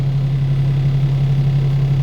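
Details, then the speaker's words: Pierce Arrow XT fire engine diesel after shifting from road to pump, pump engaged, engine coming up with an RPM kick of about 700: steady, even low drone with constant deep hum, no knocks or rattles; normal running. "You can hear the engine increasing. I can hear the engine come up. I do have an RPM kick of about 700 right now."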